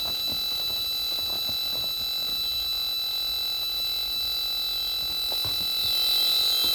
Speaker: so as we tuned down here we can hear some signals but still hear that encoder noise and we go up higher it's just fully